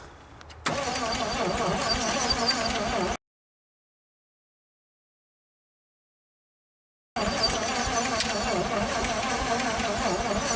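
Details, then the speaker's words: 1956 Studebaker Golden Hawk fitted with AC spark plugs meant for a Chrysler: steady, even, easy cranking at about three turns a second that never catches. No-start; owner suspects compression problems and plans a compression test. "I don't know. It's we'll run a compression test, I suppose, and see what we can figure out."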